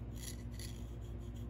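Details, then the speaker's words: McCulloch Mac 7-10 chainsaw piston rubbed by hand: smooth sections slide quietly, rough section gives a gritty rasp that catches, indicating piston and cylinder scoring. "Now if I go to the section where it has some rough roughness. Listen that. You kind of hear it catching."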